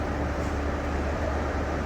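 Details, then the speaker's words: Victor 1640B engine lathe (inch/metric threading, 3-jaw chuck) spindle running forward in low speed before being turned up: steady low drone, even hum, faint gear whirr, no knocks or grinding; normal running. "That's in low speed right now. Let's go ahead and turn it up a little bit."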